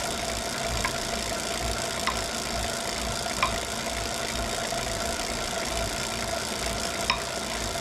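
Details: Wahoo Kickr Core trainer: faint sharp knocks about every second over the steady flywheel whir, seeming to follow the pedal stroke; cause unclear.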